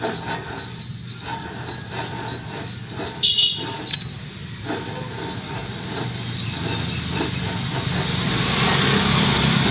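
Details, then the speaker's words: Front wheel bearing spun by hand with the car lifted: a rough, gritty rumble that gets louder under load when the car is down. Water got in and rusted the bearing; it is to be replaced along with a caliper repair kit. "so yan yung tunog ng pasa ng bearing umuugong na yan siya lalo na pag may load guys pagka nakababa yung sasakyan"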